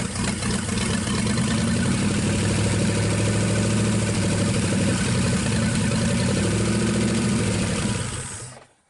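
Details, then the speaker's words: 1963 Pontiac 389 V8 at first start after long storage, running on 2-cycle gas, powered via jump box: settles into a steady, even idle with a deep lumpy burble, no knocks or misses; normal idle. "well I'm gonna say we got lucky again I've had pretty good look about these things I don't know what it is but now we are running this on on 2-cycle gas"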